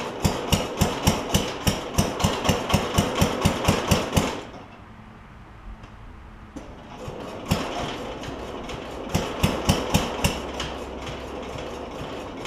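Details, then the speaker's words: Cub Cadet 70 garden tractor, engine running while trying to engage the mower deck PTO clutch: rapid, regular metallic knocking about four a second, pause, second bout; PTO clutch not engaging, owner suspects stuck clutch or wrong adjustment. "I think this clutch is stuck I think it's stuck unfortunately"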